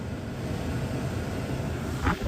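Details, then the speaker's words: MG ZS blower motor with ignition on, after its wiring connectors were rejoined and heat-shrunk: steady, even whir of the cabin fan with no rattle, tick or surging; the blower works normally after the repair. "Let's test it. So ignition is on. Okay, I can hear it already."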